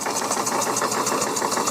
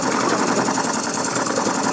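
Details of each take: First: Coal-fired model puffer steam boat engine after bypassing a faulty reversing valve that leaked steam into the exhaust, boiler piped direct to the engine: crisp, even exhaust puffs at about eight a second with plenty of power, no wheezing leak. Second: Coal-fired model steam puffer boat running hard after its faulty reversing valve was bypassed: a fast mechanical rattle over the steam hiss that appears only at higher speed; owner suspects too much play in the prop shaft.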